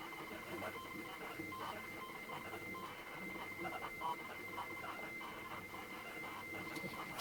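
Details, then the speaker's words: ZX Spectrum 128 +2 tape: steady high whistle with faint chirps over quiet hiss, a normal 8-bit cassette loading sound, much better than the faulty built-in tape drive. "well that sounds a lot better because that sounds more like what i would be expecting a cassette tape to sound like on an 8-bit machine"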